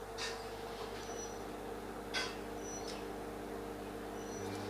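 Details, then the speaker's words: Bajaj Majesty ICX18 induction cooker after repair, powered directly: steady fan hum with faint even high whine, no error beeps; senses pan and heats normally. "देखिए friends वो भी metal को sense कर रही है और heating भी हो रही है।"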